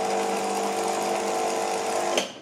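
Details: 2007 Nivona NICR610 espresso machine, 16 years old, on start-up: a strained, humming whir with steady tones for about two seconds, then an abrupt stop. The brew-unit gearbox is seized and was later regenerated; the drain valve was also replaced.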